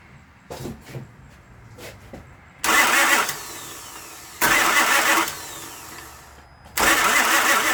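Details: Honda towed in, crank-no-start after starter fluid sprayed in intake: three steady ~2-second cranking bursts, engine turns over but never catches or even backfires.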